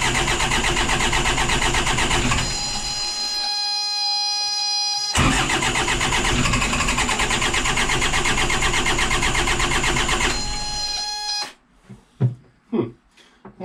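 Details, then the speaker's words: 60hp Isuzu C240 (QD60) diesel in a 1985 Outer Reef 26 trawler, not run in 10 years: it catches, runs ragged for several seconds, then stumbles and cuts out. Hard start. "if we can get these glue plugs going good first crank for a second"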